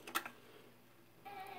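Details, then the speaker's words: 1951 RCA Victor 2S7 console with an RCA 93049 three-speed record changer and a replaced crystal cartridge: after reject is pressed, a soft clack as the record drops, then a quiet whir as the tone arm settles; normal drop cycle. "so let's hit the reject and there goes the tone arm drops the"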